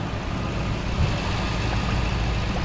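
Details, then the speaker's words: 2000 Toyota Land Cruiser, 302,000 mi, after broken timing belt repair: smooth, low, even idle without ticking or puffing at the exhaust manifold; no exhaust leaks; so smooth a coin could probably balance on it. "This engine sounds great. There's no exhaust leaks. Very smooth."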